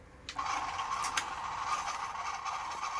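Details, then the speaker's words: Pioneer DC-Z91 cassette deck, right-side transport, probably unused for about 20 years, first playback test after cleaning and greasing: scratchy uneven whirring, squeal-like tone and clicks. Rough-sounding until fresh grease works into the bearings. "Okay, it's playing. It's playing. It just sound terrible. I know. But the grease is start getting inside. It start working through."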